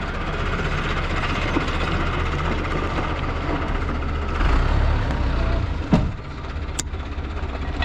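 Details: Tofaş Doğan car that ran on petrol but not on LPG; idle after the fault was diagnosed. Steady, even idle with a low, smooth beat and no misses or knocks, a few handling clicks near the end. Engine running healthy.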